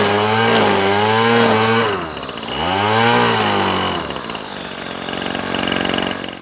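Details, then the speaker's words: Old Ryobi Grass Scorpion RCT-2800 two-stroke trimmer, unused for years, revived with fresh fuel and new fuel lines and primer bulb, carb not cleaned: crisp buzz revving up and dropping back cleanly twice, no misfire or bogging; runs well, no tuning needed. "you know what guys I'm not even going to tune this it was running fine it idles quite well it's got plenty of power"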